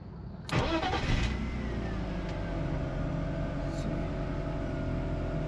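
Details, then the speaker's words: 2000 BMW 528i E39 wagon, manual, after replacing the fuel filter and fuel pressure regulator: the fuel pump primes with no leaks at 53 psi, then a brief crank, a prompt start and a smooth, steady idle with no misses; a healthy start. "It's ran, turn the key. You hear it prime, no leaks."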